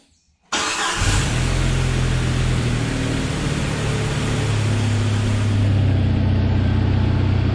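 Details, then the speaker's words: Rebuilt 2.5L four-cylinder in a 1997 Jeep Wrangler TJ, first runs before the 100-mile oil change: cranks, catches at once and idles smooth and quiet like a sewing machine, with faint injector clicking; no bad noises. "Sounds like a little sewing machine. So everything is as I wanted it to be. It runs good and quiet. No bad noises or anything. It's just smooth."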